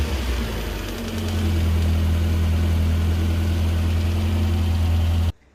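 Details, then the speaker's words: Toyota AE92 20v Blacktop engine at idle: faint quick light ticking, about three to four ticks a second, over a low hum. A new pulley bearing didn't cure it; the noise is traced to the power steering pump. "Install the new pulley bearing and it's still making a noise, so it's clearly the pump. So ticking noise sounds like from here, but it's actually that right down there."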